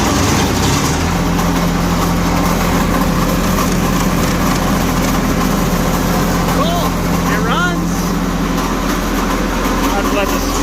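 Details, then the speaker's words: Old diesel light tower generator, sitting for years, first run: steady diesel idle with rough gritty churning from the generator end, sparks from that side; something wrong inside, owner fears something dropped in, possibly bearing, unconfirmed. "but it does run that's a good sign over there something is not happy inside this generator unit hopefully i didn't drop nothing in there"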